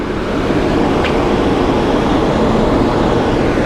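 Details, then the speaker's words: 30-inch Monarch lathe spindle running at 34 RPM with the clutch engaged: a normal, steady, quiet motor hum with no knocks, rattles or clatter. "Do you hear how nice and quiet and smooth this machine is? I mean, all you're hearing is that motor noise right there."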